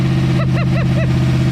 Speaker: First time in 37 years, and it runs good. She's smoking a little bit.